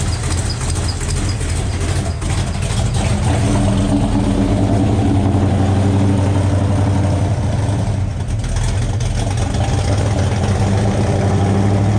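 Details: 427 V8 after finding a loose rocker on cylinder 8 exhaust: deep, steady idle with an even lope, no knock or tick over it, and a slight hiss from the open O2 sensor port in the exhaust.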